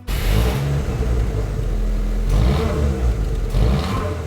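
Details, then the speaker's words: Nissan March Superturbo twin-charged small engine revving in short blips with a raspy, loud, blatty exhaust note from the old rusty stock exhaust, sounding like leaking holed pipe and muffler, before replacement. "So the old rusty stock exhaust has to go, but before it does, a little reminder of what it sounds like."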